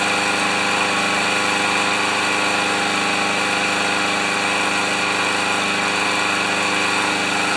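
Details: Powermore (Yard Machines) lawnmower after the carburetor jet was cleaned, running with oil and no air filter fitted: steady, even buzz at constant speed with no surging, sputtering or missed beats; runs cleanly.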